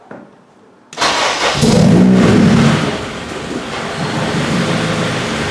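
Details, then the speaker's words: Acura RSX start after a JDI Ghost Lock install; the fuel pump was heard priming first. Brief crank, then it catches cleanly and settles into a steady, even idle with no misses or knocks: normal start and idle. "the car starts up, everything is working normally."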